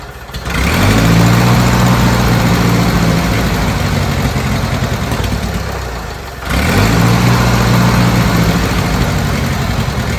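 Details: Old Bobcat 610 skid steer, Wisconsin petrol engine, old updraft carburetor, fed ethanol-free 90 octane from a jug via the fuel pump, started with starting fluid: rough idle that sags, nearly dies, picks back up; runs only almost fully choked, dies on throttle. Cause unconfirmed.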